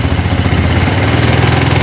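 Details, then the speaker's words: Motorcycle after one minute warming up and charging the battery, now electric-started though it nearly died: steady even low putter with a light throttle blip, no knocks or misses; normal idle. "Oke, ini sudah 1 menit ya. Kemudian kita coba starter. Sudah bisa ya teman-teman ya. Sudah bisa starter walaupun tadi agak mau mati gitu ya."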